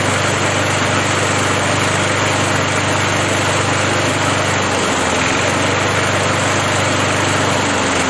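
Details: Briggs & Stratton 3.0 hp Vacu-Jet engine (model 92502) on a Montgomery Ward mower after choke diaphragm replacement, run hot on a day over 100°F: a steady, even single-cylinder patter, normal idle.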